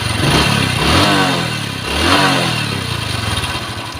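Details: Honda Wave fuel-injected small motorcycle blipping from idle with a dry metallic clatter over the exhaust; slack cam chain, cracked rubber tensioner roller letting metal hit metal.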